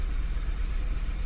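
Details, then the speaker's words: 2011 VW Tiguan 2.0 at start after clearing codes, before repair: low, uneven, lumpy idle, a misfire with check engine light and codes for cylinders 4 and 2, later fixed by replacing the ignition coils and spark plugs. "got some sort of misfire going on check engine light came on already"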